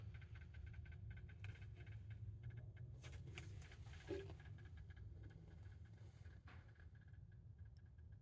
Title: Cambridge Audio AXR100 Clicking Noises